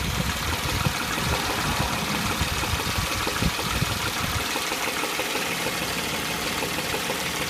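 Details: 2003 Chevy Tracker (Grand Vitara) idling: low, hollow knock not quite evenly spaced, easing somewhat toward end; cause unknown.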